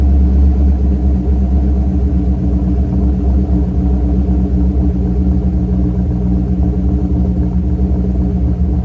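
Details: Mercury Grand Marquis 2V V8 with Todd Warren custom grind cams, after modifying AFE intake so IAC valve works: deep loping idle settling smoothly after brief startup bounce as IAC regulates idle.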